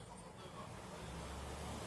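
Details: Electrolux MEF41 microwave running with a steady, loud low drone and rough hum: the cooling fan motor's plastic bushing heats up and develops play, making noise at high speed; fix is replacing it or using a metal bushing.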